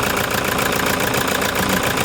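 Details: Toyota Hiace diesel with engine vibration and knocking, injectors possibly involved. At idle, a rapid, fairly regular hard knock rides over a rough idle, louder than normal clatter; the cause is suspected, not confirmed.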